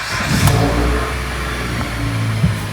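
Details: A 2014 Dodge Avenger, just fitted with a $62 replacement catalytic converter for a P0420 code after earlier misfires, with its low oil topped up; it catches and blips up cleanly, then settles with no rattle or exhaust tick. Normal running; a slight exhaust leak was fixed afterward.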